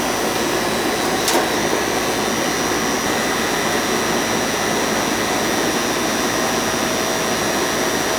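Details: Goodman AC outdoor unit running after its bad, puffy capacitor was replaced: steady rushing fan air and an even compressor hum with no buzzing or stalling. It runs normally.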